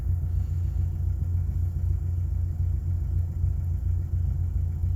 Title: rough idle on start up 2000 XLT 2.5 Lima